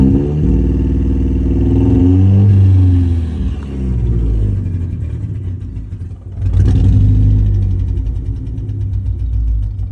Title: 2015 ford mustang ecoboost misfire